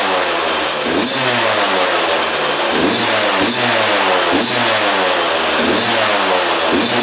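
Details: 2001 Yamaha YZ125 two-stroke, first start after fresh top-end rebuild, new pipe and cleaned carb: idle hangs high, surging up and down about once a second; air leak at intake manifold.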